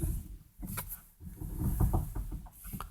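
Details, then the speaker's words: 2010 Renault Megane 2 with electric steering, after replacing worn strut top mount bearings that made a loud binding noise when steering while stationary: only soft tire rumble and light scuffs, no binding or creaking. "único barulho que a gente ouve É mais do pneu na tentando passar na rua né mas acabou"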